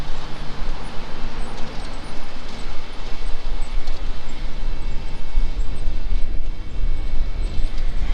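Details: Cub Cadet 2072 garden tractor, revived with a charged battery: steady, even engine drone with a low constant beat and no misses or knocks; starts and runs smoothly.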